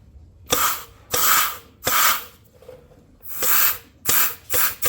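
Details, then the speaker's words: 4L60E transmission with upgraded 3-4 clutches and sun shell, before 4.8 LS swap into 93 Ford Ranger, low-pressure air test: short hiss bursts with soft clunks as clutch pack applies and releases, no leaking air; works. "Each one of these is a clutch pack. You can hear, I don't know if you can hear it or even, but we do not have any leaking air coming from those. So that one works."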